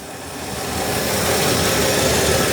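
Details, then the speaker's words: 1963 Ford F100 six-cylinder, sludged engine, just after valve adjustment (middle cylinders loosest, #6 exhaust tight, #1 intake loose): steady, even idle with no ticking or top-end clatter; much nicer than before. "I love it when you do something like this and it just all does what it's supposed to do, and it just sounds so much nicer now in comparison to what we had before."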